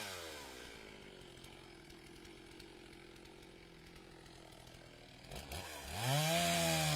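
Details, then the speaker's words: Stihl chainsaw just fixed, bucking semi-seasoned red oak on a warm morning: revs down smoothly, idles quietly, then picks up cleanly to a strong, even rev with no bogging; normal running. "Saw sounds good. He just got the saw fixed."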